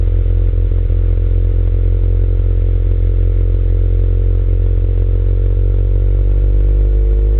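Deep, uneven engine beat with irregular stumbles and dropouts, pitch rising slightly near the end; sounds like a misfire.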